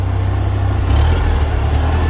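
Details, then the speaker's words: Farmall Cub tractor running on about two-thirds of a tank with Seafoam added after spitting and sputtering: steady, even low rumble with no knocks, surges or stumbles; owner satisfied, runs normally. "but I'm not dissatisfied with how it's running with the seafoam in it"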